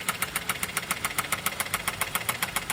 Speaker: Customer states, "Engine sounds louder than normal. Please advise."